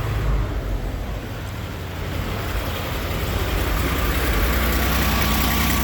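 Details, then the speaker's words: Roughly 1960s–early 70s GMC C5000 big six, unrun 8 years, now drawing old rusty tank fuel after a loose fuel line was found: low, uneven, lumpy idle; struggling on contaminated fuel clogging the filter. "but we got it to prime from that old rusty fuel so we'll give it a go again see if she'll idle"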